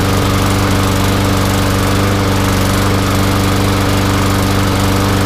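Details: Newer MTD Yard Machines front-wheel-drive mower with newer Briggs & Stratton engine, started after gas tank replacement (was no-start with holed tank): loud, steady engine beat at fixed speed, no misses or surging; running evenly, normal.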